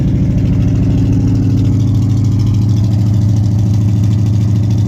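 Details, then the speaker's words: 1979 Camaro Z28 V8, cold start after sitting a few weeks, old ignition wires arcing (sparks seen at night): steady even rumble at raised fast idle on choke, no misses heard; high idle on choke. "Tidling high now cuz it choked."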